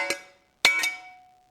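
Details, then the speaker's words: Copper being forged: three sharp hammer strikes, each ringing like a bell for over a second, showing the copper has work-hardened and needs annealing. "know you can hear that loud noise out of it that's when it's hardened up sufficiently and that means it's time to go ahead and anneal it"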